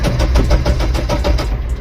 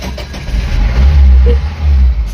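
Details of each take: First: Mahindra Bolero Maxx Truck Plus BS4 diesel with no check engine light, rail pressure reaching 275 bar and crank rpm reaching 200 on the scanner: steady starter cranking with even compression pulses, about five a second, never firing; the cause is a blown ECU supply fuse. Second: Mahindra Bolero Maxx Truck Plus BS4 diesel after a fuse fault was fixed and the software reset errors cleared: a brief crank, then the engine catches and runs with a steady deep rumble and no stumbling; starts normally.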